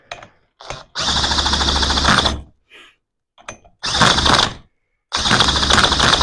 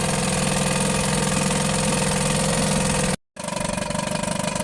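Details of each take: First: Johnson Seahorse outboard after carburetor refit: harsh rattling cranking bursts with stray catches that never build into a steady run, tried with and without choke; fuel disappearing, owner suspects a leaking carburetor or closed fuel shut-off. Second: Johnson Seahorse outboard after carburetor refit and impeller change: small two-stroke settles into a quick, steady idle with even popping pulses, no stumbling; water output from tell-tale holes seems low.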